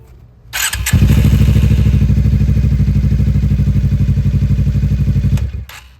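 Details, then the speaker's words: Suzuki GSX-R motorcycle, rat-damaged: starts and idles with an even thump, then cuts out cleanly when put in gear; the kickstand switch wiring is chewed, killing the engine in gear. "I was just about to test drive this thing, but it keeps shutting off when I put it in gear for some reason."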